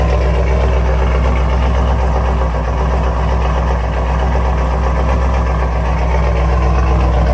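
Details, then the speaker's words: Chevrolet Camaro LS3 V8 after replacing stuck cylinder-one lifter, new cam and lifters, coolant refilled, first start on jump box: deep, even idle, no top-end tapping or ticking; quiet, healthy. "it is aive sounding real quiet up here"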